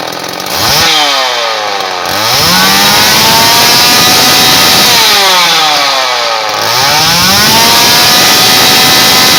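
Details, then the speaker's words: Homelite Super 2 chainsaw, revived with fresh fuel, primed and adjusted carburetor, chain tightened: crisp two-stroke buzz climbs and falls cleanly twice without stumbling or dying; earlier idled 20-25 minutes without missing; runs healthy. "She just idles right along. I just let it sit and idle outside in the grass for like 20-25 minutes earlier. Didn't miss a beat. Didn't die on me."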